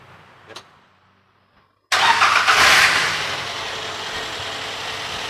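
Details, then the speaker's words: 2014 Daihatsu Granmax 1.3 pickup, about 300,000 on the clock, engine stock: starts at once, flares briefly and settles into a smooth, even idle with no knocks or ticks; no suspicious engine noise. "ini untuk suara mesin posisinya standar nah ini untuk RPM stasionernya dia masih halus"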